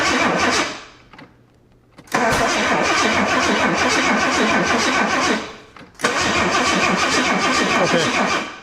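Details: 1984 Jaguar XJ6 automatic, sitting 20 years, plugs cleaned and carb cleaner put in cylinders: starter spins the engine in steady even pulses through long bursts but it never fires; cranks, no start, plugs suspected fouled.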